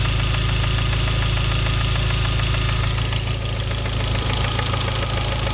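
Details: Hyundai Genesis 2.0T at steady idle with a rhythmic knock, a couple of raps per second; spun rod bearing from oil starvation blamed on a poorly made oil pump. Oil and oil pressure lights and knock sensor never warned, no limp mode.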